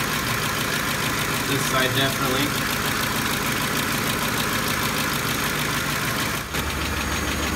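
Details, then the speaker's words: Ford 5.4L 3V V8 with sludged engine, constant sharp valvetrain tapping at idle keeping pace with the engine after a startup rattle from worn timing chain tensioners; failed, seized, flat-worn roller follower (lash adjusters also suspected), some broken guides. "now it has a classic startup rattle noise from the tensioners being blown out after that quiets up a bit a bit but then it has a constant and um I'm thinking this one is Roller followers or more lash adjusters"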